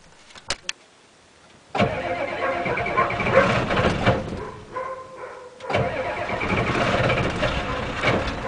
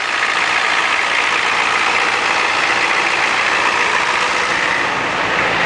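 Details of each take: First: 1987 Ford F-250 6.9L IDI diesel, 5-speed, cold start after sitting 5 months on #2 diesel, about 40°F, glow plugs cycled: clicks, cranking, then catches and clatters unevenly; a little rough on cold start, earlier attempt failed from suspected gelled fuel. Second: 1987 Ford F-250 6.9L IDI diesel, just started after sitting 5 months, about 40°F, straight-piped as exhaust is shot: loud raspy clatter at steady idle with no misses or stumbles; normal diesel idle.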